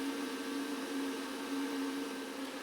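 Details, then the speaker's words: Renogy 1000 W pure sine inverter charger RNG-INVT-1000-12-C pushing about 23 A into a camper battery, knob near 100%: steady airy fan rush with faint even hum; cooling fan running normally. "So right now that's 75%, and if I twist it to the left here closer to 100, the amperage will go up and you can hear the fan increase."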